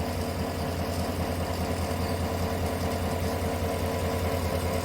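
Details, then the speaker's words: 2018 Chevrolet Tahoe V8 idling with a low, slightly uneven pulse: misfire on cylinder 8 (P0300, P0208 cylinder 8 injector); spark plugs and injector to be addressed. "دخلني وعندي رقم ثمان ثمانيه في تفتفه هو يقول اضف بخاخات وغير بواجي وكويلات"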